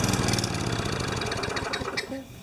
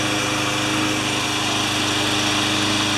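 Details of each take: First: Craftsman 20-inch side-discharge mower, just washed: fires and runs roughly a couple of seconds, then sputters and stalls; carburetor cleaning suspected needed, not confirmed. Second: Craftsman 20-inch side-discharge walk-behind mower, which had been starting and then stalling, during its final test after repair: the small single-cylinder engine holds a steady, even buzz with no misses, surging or knocking, running normally.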